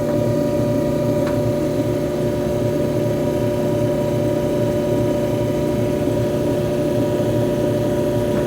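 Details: Electrolux front-load dryer EIMED60LT3 after repair to cure a scraping noise: smooth, even hum with steady drum rumble, no scraping or thumps, heating; normal running after repair.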